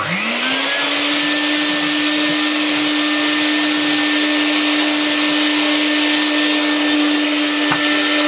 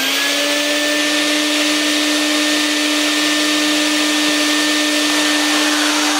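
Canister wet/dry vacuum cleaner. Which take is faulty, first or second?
second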